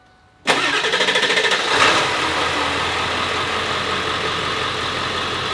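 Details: 1999 Ford F350 dually diesel, nearly 300,000 miles, with a Banks tune and parts, after repairs including the high-pressure oil pump: crisp crank of about a second catches cleanly into a steady, even idle with no knocks or misses; healthy start.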